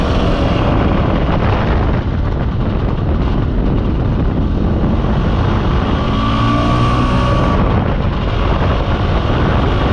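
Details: Mostly original Spanish Lambretta Jet 200 (Serveta) two-stroke on test ride under load after carb slide cutaway changed from 1.2 to 2.2; strong, even drone, no stutter or misfire; mid-range spluttering cleared, main jet seems about right.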